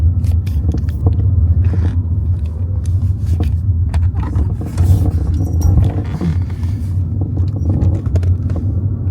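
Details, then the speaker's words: Kia EV3 GT Line S after one year of use, driving before lubrication: irregular light rattles and clicks over deep road rumble from the loose tailgate (boot). "Definitely the tailgate rattling."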